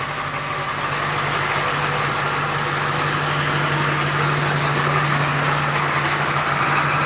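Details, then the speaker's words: 2001 Ford F-250 7.3L diesel started after sitting: steady idle with a light, even rattle about four times a second over the clatter. The AC compressor pulley is noted as bad; the rattle's source is unconfirmed. "But you can hear that rattle rattle rattle. That's the bullet."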